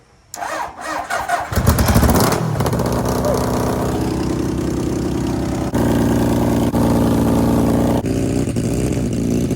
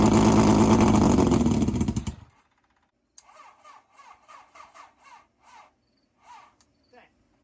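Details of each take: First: 750cc bike-engined half-scale NASCAR kart, cold start after sitting for months, choke down: fires after brief crank and settles into steady even beat, no misses or knocks, running well. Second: 750cc half-scale NASCAR kart, not run for two months, cold start: fires and runs loudly for two seconds, then revs sag and it dies; owner suspects the chokes were turned off too early before warm-up.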